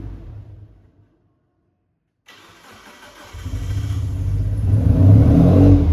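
Quiet, then a short crank catches and the engine climbs unevenly with a lumpy, wavering note; hard starting and rough running, cause unknown.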